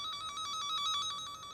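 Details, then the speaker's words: Cen-Tech wire tracker in tone mode, tracing a broken underground dog-fence loop: loud, rapid, even high-pitched beeping at about nine pulses a second while over the live wire; it quiets where the wire is broken. "you can run this over the wire pushing this button and you'll get a kind of a beeping type of of noise if you're running over the hot wires the noise will be loud"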